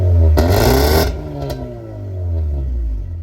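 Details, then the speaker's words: Mazda RX-8 rotary after new spark plugs: a low, steady idle hums evenly with no stumbling. It previously had a rough idle and heavy smoke, first feared to be a coolant seal failure, but it was the worn plugs. "now the car sounds way better it used to have a m byon Idol she sounds smooth right now she sounds really good so yeah that was definitely the issue"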